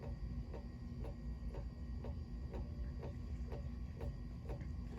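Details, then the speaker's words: 36-inch Emerson Designer two-speed plastic ceiling fan on low speed, bearings good: light knock about twice a second over quiet fan hum, rhythmic banging apparently from the switch housing; cause unconfirmed. "you can see it makes a little bit of a banging noise I am not really going to worry about that"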